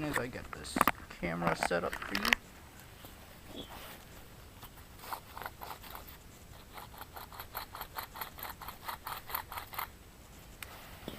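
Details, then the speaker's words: Old corroded wheel hub bearing removed from 2008-10 Chevrolet Cobalt SS, spun by hand: fast gritty ticking rumble; worn bearing, versus new Timken hub dead silent. "what my nasty old bearing sounds like and this is the new one dead silent"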